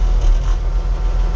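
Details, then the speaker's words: Loader with newly replaced hydraulic thumb hoses, engine running, auxiliary lever beside the spool valve pulled back: steady engine thrum as the grapple swings open with a faint creak, no whine or chatter; normal hydraulic grapple operation. "so the controls for the auxiliary just a another lever next to the spool valve and uh pulling back should open it up and it does"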